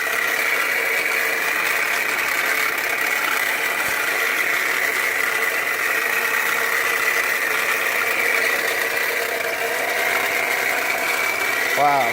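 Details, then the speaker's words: Jeep Compass/Patriot-type 2.4 engine idling: loud steady high whine over running noise from very hot alternator with failing internal bearings, a known problem; new power steering pump fitted earlier by another shop wasn't the cause. "that's alternative this is extremely hot alternator is coming in part internally the bearings are extremely loud uh pretty much a known problem with these"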